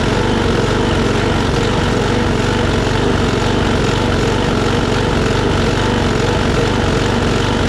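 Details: Troy-Bilt push mower with Briggs & Stratton Quantum auto-choke engine after carburetor cleaning, with rpm raised from about 2,800 to 3,100–3,200: steady high-speed buzz with only slight wavering; surging is much reduced.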